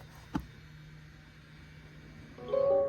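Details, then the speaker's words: 2022 Mazda CX-30 rear brake pad job: single click, pause, then steady electric motor whir from the rear calipers as the electric parking brake retracts into service mode. "you can hear potentially all of the calipers in the back I'm going to let go of everything"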